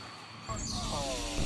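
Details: Nissan 350z running: sharp, wavering squeal from a loose serpentine belt; fix is tightening the belt.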